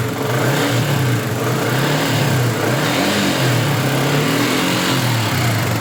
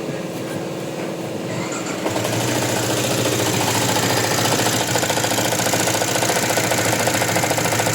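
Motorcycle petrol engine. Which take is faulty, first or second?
second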